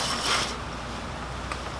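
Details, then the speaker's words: Toyota Tacoma upper serpentine-belt idler pulley spun by hand, engine off, belt removed: short rough gritty rasp fading as it slows; worn, noisy idler bearing needing replacement, unlike the smooth bottom idler and tensioner. "now let's go on the upper idler yeah as you can see that one's really noisy we'll have to replace that"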